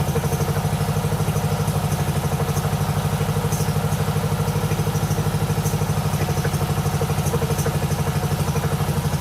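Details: 1997 Mastercraft (MTD) 38" lawn tractor, 12.5hp Briggs & Stratton single, parked outside for years, fed from a hose fuel reservoir while low on oil: even putter about three beats a second, steady without misses, on choke; healthy idle.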